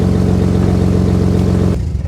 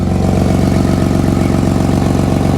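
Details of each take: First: Nissan Skyline R33 RB25DET after a power steering fix (new hoses, stepped brass joiner, cap on): steering held at hard lock, the idle stays smooth with no pump whine or binding, then shutoff; quiet at full lock. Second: Nissan Skyline R33 RB25DET at idle after about 5 minutes of steering during a power steering fix: the pump is silent, and fast, even puffing pulses in time with the firing come from an exhaust leak.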